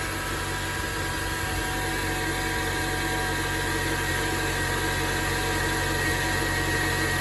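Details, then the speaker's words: 2006 Acura TSX automatic idling just after power steering pump replacement and fresh fluid: even steady hum with faint high whine, no knocks or groans; everything sounds good so far, normal idle. "there you have it let it flow for a little bit everything sounds good so far"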